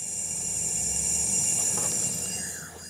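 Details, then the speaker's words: VW Jetta GLI during a cylinder-head leak-down test after the rebuild, engine not running: a steady high hiss of air escaping through the open injector hole with the injectors not yet fitted, not a bad seal. "is it all going out there it is it sure is wait it's the injector hole though"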